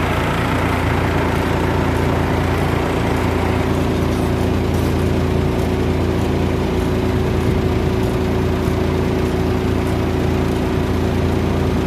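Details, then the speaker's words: Exhaust blowers in a poultry building, 4 of its 10 running, used especially in hot weather. A steady low drone with an even churning beat and constant pitch; they are operating normally. "4 na blower ang gumagana, lalo pag mainit ang panahon. Yan, naririnig po ninyo yung ingay. Yan po yun, yan gumagana, kumandat."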